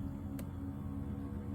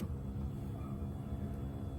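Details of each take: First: Power seat motor in a 2003 Toyota Highlander, 22 years old, moving the seat forward: steady low hum with faint dry edge and one click; not weak, but owner says it sounds like the gears need greasing. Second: 2003 Toyota Highlander power seat moving forward after the seat was removed and its track gears greased: steady, even motor hum with no grinding, squeal or catching. The seat travels freely and sounds much better than before.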